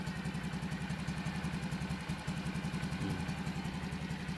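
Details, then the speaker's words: Rider motorcycle, 8 years old, after top overhaul and 6002 inner bearing and clutch primary spacer replacement: steady low idle putter, earlier whistling gone, running quiet. "And yan na, tahimik na, no? Paano sabing tahimik? Takpan natin ng basahan. Oh, yan, no? Wala na yung parang sumisipol, no?"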